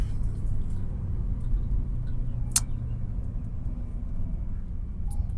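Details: 2005 VW Beetle that sat unused since 2019, first drive: deep, steady droning hum under road noise, owner guesses driver front; suspected worn wheel bearing hum, not confirmed.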